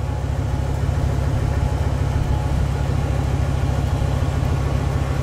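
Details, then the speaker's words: Loud, boomy low exhaust rumble pulsing steadily at idle, heard from outside at the tailpipe after a Y-pipe and Hushpower muffler install; owner unhappy with the sound, something also vibrating in the back seat area; no mechanical fault indicated. "as far as the sound goes not too happy with the sound like I said going do a little sound test"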